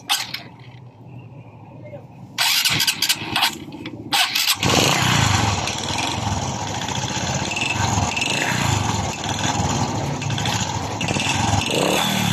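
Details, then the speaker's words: Honda RS 125 Fi single-cylinder engine before teardown, owner reporting a nut got inside the engine: after cranking it idles with a loose, uneven knocking clatter from low in the engine; connecting rod or piston slap suspected, later confirmed piston slap. "so Tingan niyo guys saan kaya nanggaling ang tanog meron ang kanyang makina Ito ba ay connecting rod o Ito ba ay piston slap"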